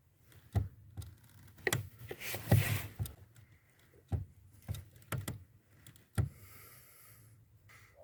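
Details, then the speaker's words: 1992 VW Passat B3: dry crunching clicks inside the cabin on each clutch pedal press, intermittent and fading on repeat presses; source suspected at the spring and bolt mount on the pedal block, addressed by fitting a tape-wrapped coin at that spot. "впечатление что источник вот этого хруста исходит месте крепления пружины и получается и болта и и крепления к блоку педалей"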